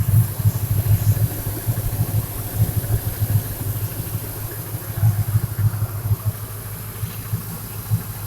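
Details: 2000 Ford F350 5.4 V8 with muffler, after intake replaced for coolant crossover leak: low steady idle with even, lumpy rumble, no ticking or hiss; healthy normal idle.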